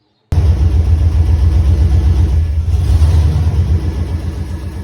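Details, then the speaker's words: 1988 Ford Bronco XLT, 5.8 (351 Windsor) V8: low lumpy rumble with uneven beat that never settles, close to stalling; owner says it starts, runs, chokes and stalls out, cause not yet investigated. "I do have a running issue at this time. So when you start it up, it'll run, start to choke and stall out."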